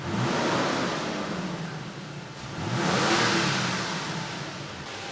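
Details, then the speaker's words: Toyota Tacoma after repairing mouse-damaged wiring harness, first start: engine catches and runs steady with one smooth rev rise and fall, no knocks or misses, no check engine light; normal running. "Good news is it's running. Great news is there's no engine check engine light on."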